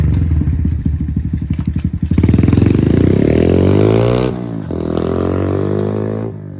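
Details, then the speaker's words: Pit Pro pit bike, 90cc GPX engine, new Amazon carburetor with idle set and air-fuel set after a ride: even idle, then revs climb cleanly and hold steady without stumbling; runs and drives well, normal running. "I drove around a little bit, set the air fuel. It's running and driving pretty good, actually."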